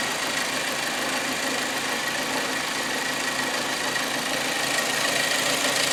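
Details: Hyundai Accent 1.6 petrol after removing camshafts and flushing four failed hydraulic lifters: steady idle with a light, even top-end tick and no heavy lifter clatter standing out; seems to run normally.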